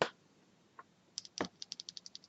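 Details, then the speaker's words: Cherry MX Silent Black switch, unlubed, pressed repeatedly while held one way: sharp light ticks about nine a second, silent when turned around; cause not confirmed. "you can hear this ticking noise it makes when I turned the switch around it's silent when I hold it this way that's the ticking noise"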